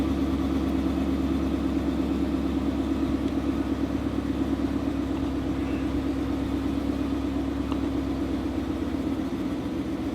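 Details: Car on first start after switching to E85 tune, idling so E85 mixes with remaining 91 fuel while AFRs adjust: steady, even idle with smooth low hum, no misses or hunting.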